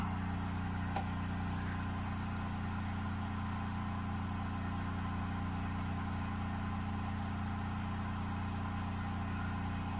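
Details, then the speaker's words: Simplewater ECO12 12V 60 L/h boat desalinator, three-way valve switched to rinse, boat's 12V fresh-water pump starting to push fresh water through membrane: steady low hum, even pulsing, no knocks or surging. Normal running. "donc voilà nous sommes en position rinçage on entend la pompe à la pompe du système de 12 du bateau qui se met en marche"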